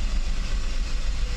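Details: Mercedes 600SL V12 idling while its E-gas throttle control module is tested before a throttle body rebuild. Deep, steady, even rumble with no knocking or rattling; the E-gas checked out OK and the throttles work. Normal idle.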